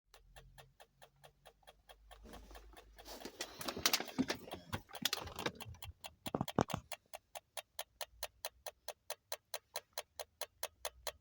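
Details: Toyota Alphard with engine turned off: sharp, evenly spaced ticks, several a second, continue after shutdown.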